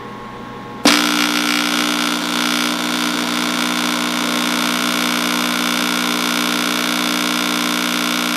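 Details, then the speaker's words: 16-inch Axelson contactor being energized after motor lead identification: loud steady buzz with rapid rattle as it pulls in, chattering rather than snapping shut. Suspected insufficient power or corroded internal contacts, unconfirmed. "I mean, it's closed. It's closing. But it's chattering. It's chattering."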